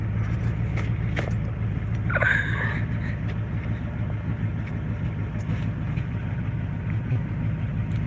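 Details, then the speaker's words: Beater truck running with no exhaust fitted, rotted off and completely straight piped: deep, loud, raw unmuffled rumble with throaty low pulse; otherwise runs good. "No, it just sounds like that because it's like completely straight piped. The exhaust was all rotten off of it, and we didn't put no exhaust on it."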